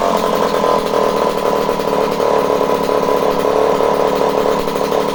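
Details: Homelite C51 two-stroke chainsaw that had been sent back as a non-runner, fresh fuel in, carb needles at base factory settings (3/4), spark confirmed: fast, even buzzing note with no dropouts or surging, the saw running cleanly.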